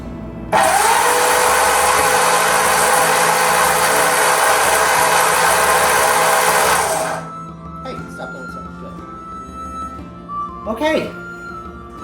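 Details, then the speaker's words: Freshly rebuilt Ford flathead V8, first turn-over on the starter with spark plugs removed: fast even starter whir for about six seconds, no compression pulses, spins freely; oil pressure came up to just under 30 psi. Normal cranking with plugs removed. "It runs. Well, it turns over. Yay."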